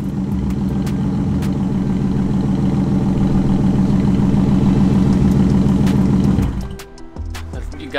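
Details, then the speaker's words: BMW E36 328i M52 straight-six, straight-piped, heard from outside after driving: fast rhythmic pulsing about three beats a second with a light tick, then shut-off; uneven misfire, owner suspects a coil pack with over-fueling, not confirmed. "I'm gonna let you hear the engine mist from the outside so you can add a bit more distinctly because the lift is also making a noise so it sounded like a beating knock"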